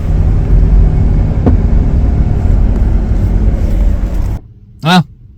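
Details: 2014 Chrysler Town & Country van driving: heavy low droning hum above 25 mph, speed-dependent only, unaffected by RPM or turning; front wheel bearings replaced 3-4 months earlier, humming again.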